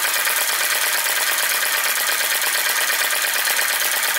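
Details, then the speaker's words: Flame Licker Flame Gulper VE-01 crossbeam vacuum engine with drive pulley, running with no load after driving a Baker fan: light, quick, even ticking about two beats a second over a steady hiss, running freely and smoothly. "it definitely uh it definitely ran it just such a nice engine run of it there it goes with no load"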